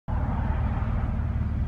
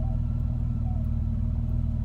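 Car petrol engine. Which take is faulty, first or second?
first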